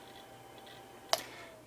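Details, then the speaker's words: Compaq Presario 1237 laptop from about 1997-98 shutting down: one sharp, lone click over a faint quiet hum, the head-click of a failing hard drive. "And as the hard drive clicks and clicks one more time, I guess that will be it for this video."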